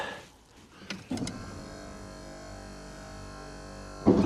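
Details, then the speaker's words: 1996 Ford F-350 Powerstroke diesel with Western cable snow plow, electric hydraulic pump: steady even whine about three seconds, no straining; working fine after cable adjustment for a left-turn hang-up, which previously recurred after minutes. "that feels good. Well, hot damn. I think we're pretty damn close now. It seems to be working fine right now."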